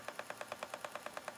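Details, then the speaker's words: Spinning wheel with a new bobbin, spinning lace-weight Shetland at raised speed. Rapid, even light clacks about nine per second that keep pace with the wheel; the spinner suspects the speed, cause not confirmed. "It's making this weird noise. I think it's because of the speed. And a bit of clacking going on."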